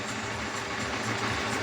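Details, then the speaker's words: Honda CB250F (Twister 250) fuel injection, started cold about 27-28°C, idling near 240-254 steps with lambda sensor now in closed loop correcting mixture: quiet, even idle with smooth steady hum, no knocks or stumbles; combustion running cleanly. "va a ir corrigiendo la Sonda Landa porque está en lazos cerrados ya estaban lazo abierto cuando lo pusimos en marcha y bueno va a ir corrigiendo y va muy bien como va trabajando esa combustión"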